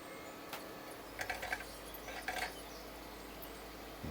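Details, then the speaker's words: Xbox 360 with DVD drive from a red-ring console, disc loading: quiet clicks and short whirring bursts as disc pulls in and head seeks, no scraping; loads normally, slower than the other unit, laser possibly dirty. "so far so good it is loading it a little quicker than that one"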